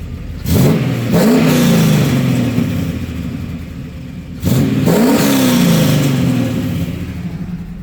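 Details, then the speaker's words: 1996 Camaro Z28, 5.7L LT1 V8, tuned on a stock cam: two sharp revs over a deep V8 burble with faint raspy puffing from a cheap, poorly aligned Y-pipe that is leaking. Exhaust leak. "It does have a little bit of an exhaust leak on the Y pipe that I have to fix still. I bought kind of a cheap Y pipe and it didn't really line up super well, so."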